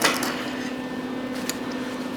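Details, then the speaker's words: Lincoln 140 MIG welder hums with crackling pops as spatter buildup inside the nozzle touches the weld tip and arcs when the trigger is pulled; sounds better after cleaning it out. "because now that this this is touching the weld tip when I pull the the trigger and it's kind of arcing."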